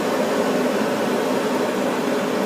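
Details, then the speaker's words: Furnace burners lit after the flame sensor was cleaned with steel wool and reinstalled, flames drawing into the heat exchanger nicely: a steady, even whooshing roar with no pulsing or cut-outs; normal burner operation. "I see a glow. Okay, burners are on. Looks like they suck into the heat exchanger nice."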